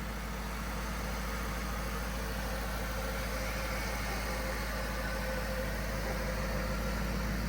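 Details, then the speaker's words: 2007 Chrysler SRT8 flood car, first start after a temporary new fuse box, cleaned grounds and a new battery: deep, steady V8 idle with an even rumble and no misses, knocks or ticks; engine running healthy. "It started. Oh my gosh. Dang it, I'm so bummed we didn't get that on camera. Engine sounds good."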